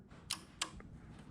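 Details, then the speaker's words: Yamaha V-Max air-shifter circuit with newly wired relays, button pressed with the shifter switch on; two crisp clicks about a third of a second apart, relay then solenoid, over a quiet room: normal relay and solenoid clicking. "you hear everything clicking. The relay, solenoid, flip that off. All you hear is this one."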